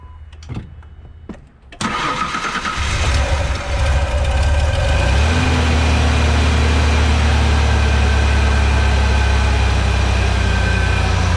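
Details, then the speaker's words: 1997 Ford Ranger after new belt and replacing the idler pulley: engine cranks, fires and settles to an even idle with no chirp or squeal; belt squeak fixed. "no more sleep no more squeak"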